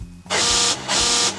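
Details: Yukon Denali (GM 1998–2006 style) during key fob programming, lock pressed: two harsh, loud half-second electric buzzes as locks cycle — rear passenger door lock actuator faulty, needs repair.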